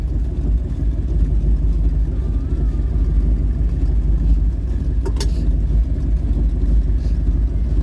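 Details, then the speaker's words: Old Ford truck "Bonnie" V8 idling about 750 rpm on a cold day after badly needed spark plug replacement: low, steady even burble with no misses, sounds way better; normal idle. "Man, man, that does sound way better. It needed spark plugs so bad."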